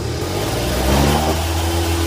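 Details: Peugeot Speedfight two-stroke moped with running problems, after adjusting a carburettor mix screw, sprayed with easy start and kick-started: buzz rising and holding at high revs, steady and loud. Revs up then dies.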